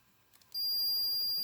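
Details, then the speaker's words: Maytag A7300 washer lid switch tested with beeping continuity meter: a few faint taps and no tone, then sudden steady high beep; intermittent contact, switch judged bad (washer stopped mid-cycle); both switches replaced. "Top one, you're supposed to hear it with the switch out. Oh, now you do. When I first did it, you didn't hear it. Now it's working."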